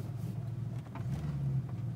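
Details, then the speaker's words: 1987 Mustang 5.0 speed density, 1989 engine, cold air intake, underdrive pulleys, full exhaust, new plugs, wires, cap, rotor, coil, fuel filter; low V8 rumble nearly stalls on light throttle after a stop, recovering unevenly; stumble, cause unknown. "right you hear it almost turned off there when I gave you a little bit of gas"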